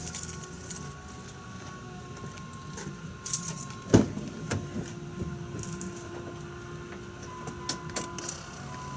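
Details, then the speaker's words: 2001 Dodge Ram 2500 Cummins turbo diesel, key-on without starting during fuel filter change: faint steady electric hum with light clicks as the aftermarket FASS DRP lift pump (replacing two failed stock pumps) primes normally. "I don't know if the camera's picking this up you can hear the fuel pump which is right down there I have a a fast ddrp fuel pump it's not the original stock one because this truck had two stock ones in two years"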